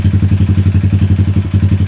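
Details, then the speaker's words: 2020 Honda Grom 125cc idling during ECU relearn after fault, ECU and TPS resets for rough idle and misfire: even single-cylinder thump about eight beats a second, no misses, rpm climbing to 1100 then 1200; run 5 minutes. "Relearning the whole sensor of the engine. So definitely after this reset, leave it for 5 minutes, full 5 minutes running the engine, and then you'll have no issues."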